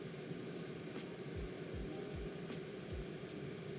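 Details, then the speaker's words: DJI Power 2000 intake port while outputting 1,722 W to charge an EcoFlow Delta 2 Max, meter reading about 75. Soft steady airflow with a faint low hum and no fan whine, unlike the EcoFlow: normal cooling fan. "What you will notice is there's no wine on the DJI. The EcoFlow has this uh wine, but the DJI just sounds like airflow. There's no fan whining to it."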